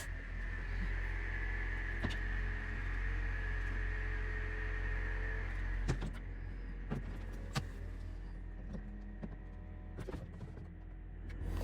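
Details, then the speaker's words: Mercedes R230 SL55 folding hardtop (vario roof), after repairing broken S69/2–S69/3 micro switch wires for roof stuck halfway (error B1263-001): hydraulic pump whines steadily as roof moves, with clicks and latch thumps on closing; roof operating normally. "one more time try opening the roof that all seems to work"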